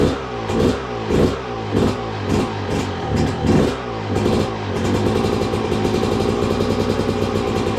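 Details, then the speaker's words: 2002 Yamaha YZ125 two-stroke that sat a long time, first run after cleanup with choke on: sharp throttle blips settle into a steady crisp run, no knock or clatter; runs really good, crank sounds healthy. "Yep. She runs good. Let's go. Well, there you go, guys. Running really good too. And I knew it would."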